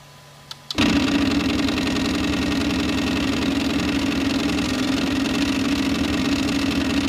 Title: Flashforge Creator Pro grinding noise